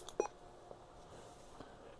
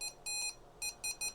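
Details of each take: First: Vertex Standard VX-3000 VHF radio after replacing its weak tiny speaker with a 30x50 mm AliExpress part: one short faint beep over quiet room hiss, volume turned down; now much louder and sounding normal. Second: Vertex Standard VX-3000 VHF radio at max volume before speaker replacement: short thin beeps near 2.5 kHz with almost no low end, a very weak high-pitched tinny sound; audio circuit is fine, the tiny internal speaker is faulty.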